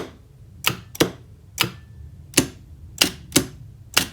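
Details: FX5U PLC-controlled star/delta forward/reverse starter after overload trip and reset: crisp, sharp clicks at irregular intervals, seven in about four seconds, over a quiet room; contactors pulling in and dropping out cleanly, normal.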